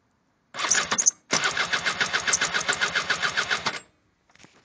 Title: speedfight wont start.